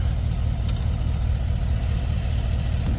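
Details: 2020 Chevy Express 3500 van, 6.0L V8, after engine replacement (original failed with lifter issues at 86,000 miles), warming up while cooling system bleeds air: low, steady, even idle with no stumbles or tapping; normal idle.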